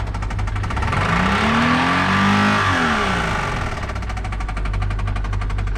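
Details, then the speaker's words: Worn Subaru Impreza, engine about to be pulled out: revs climb and fall while a dull, regular knock under the engine note quickens with speed; engine knock. "which I suppose you guys want to hear a knocking motor, don't you? She's just sick. She needs to be put down."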